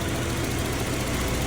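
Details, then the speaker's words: 1991 BMW E30 318is M42, about 200,000 miles, after M44-style timing chain guide retrofit for previous ticking: steady even idle, no ticking, rattle or chain slap, no leaks, cooling fine; normal idle. "Uh, the retrofit of the M44 timing chain guide worked. There are no leaks. It's cooling just fine. And it runs great."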